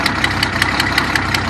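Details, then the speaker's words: 1974 Datsun 260Z at idle, choke cable only working on two carburetors: sharp even ticking puffs, about five a second, riding on the idle, a bad exhaust leak at the header collector, which has rough welds on its bottom. "yeah. I don't want that sound. A bad exhaust leak back there."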